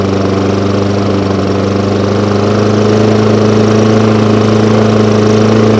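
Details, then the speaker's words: Hayter Ranger 53 mower that would not reach full revs, after bending the throttle/governor spring clip forward: steady even high-speed hum, no hunting or surging; engine now reaches proper revs. "so as you can see a little tiny adjustment on this little um throttle here now pushes those revs up to where they should be"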